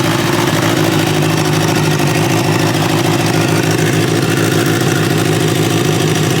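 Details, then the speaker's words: 1986 Kawasaki Ninja 600R, liquid-cooled, warming up: smooth, even idle with a steady low beat and no knocks or misses. Engine runs well, but there is a water leak running down low, still to be traced. "So, good news is it seems to run really well. Um, has a water leak."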